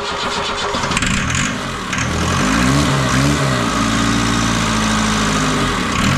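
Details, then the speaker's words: Ford Transit 2.5 diesel, first start after the engine was reinstalled, started with quick-start spray, oil pressure gauge fitted: lumpy, unsteady idle; owner suspects an air leak in the fuel system, possibly old rubber hoses near the tank. Uneven running. "Ну в принципі двигун запускається працює не ідеально як виявилося в чому проблема проблема в тому що десь є підсос повітря по паливній системі"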